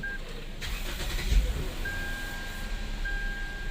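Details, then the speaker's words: Lexus IS after misfire repair, failed ignition coils and worn spark plugs replaced: quick crank catches cleanly into a steady even idle, no stumble; power back to normal. Normal engine start after repair. "الفرق واضح يا شباب واضح الحمد لله رب العالمين رجع كل شيء طبيعي في الموتر"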